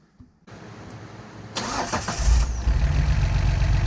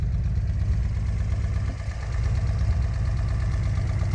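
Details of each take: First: 1973 Datsun 240Z with rebuilt L24 inline-six and carburetors, first start after reinstall on a hot day: cranks, coughs from the carbs while the bowls fill, then settles into a smooth, even low idle. Not revved due to camshaft break-in. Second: 1973 Datsun 240Z L24 inline-six before removal: deep, uneven, lumpy idle with a dip. Three cylinders have low compression, coolant is entering the combustion chambers, and it runs poorly when warm. Leak-down test shows it needs piston rings.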